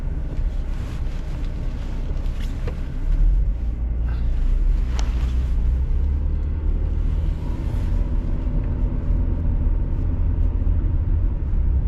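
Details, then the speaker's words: Jaguar XJ40 XJ6 4.0 Sovereign automatic, previously stuck in second, under road acceleration: steady engine and road rumble with a brief dip and settle as it upshifts normally, now changing through all gears after repair. "There you go, that's the gear change. So we wasn't getting that before, but it's doing it now."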